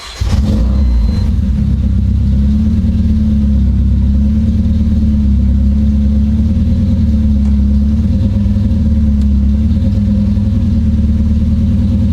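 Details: Supercharged KA-swapped Nissan 240SX after a coil-on-plug ignition conversion, launch control now on a different circuit: revs held flat at a fixed ceiling with a choppy, stuttering note. The launch light shows green, so launch control is stuck active.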